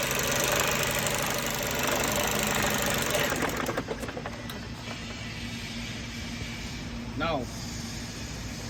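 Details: Mercedes-Benz Euro 5 diesel truck: rough, clattery idle with an uneven knock about three to four per second; wetness around the high-pressure pump and air compressor area suggests a leak; cause not confirmed.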